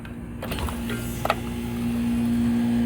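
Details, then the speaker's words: Two-ton HVAC system on a rooftop, compressor previously not starting with fan running, after fitting a two-wire hard start kit: compressor kicks on cleanly, settles into steady ~230 Hz hum drawing 6.4 amps, 60 PSI; normal start. "oh There She Goes we have 6 amps 6.4 amps running right now it is a two-ton system the compressor is running"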